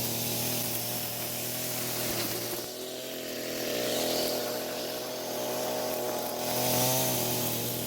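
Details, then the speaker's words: Echo string trimmer after a new carburetor diaphragm improved fuel flow: a steady, clean high two-stroke buzz that swells and eases slightly with throttle, running a whole lot better than before. "Well, as you can tell, it's running a whole lot better."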